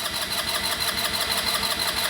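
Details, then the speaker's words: Genuine Buddy 125 scooter with new battery, ignition on, brake pulled: starter spins engine at an even, quick rhythm but it never fires; carburetor needs cleaning, as no start after a minute of cranking indicates a clogged carburetor. "not going to start needs the carburetor clean but we could keep on cranking no typically if it's not going to start with after a minute of cranking you just need to clean the carburetor"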